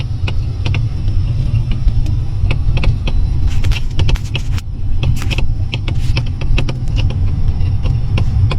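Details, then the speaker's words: Mercedes-Benz C-Class right front "clucking" over rough road, sharp irregular knocks and clicks over road rumble; right front strut sat at a different height than the left, fixed by replacing the shock absorber top rubber mount. "不平路面有前方异响。有没有高手听出来是什么响？"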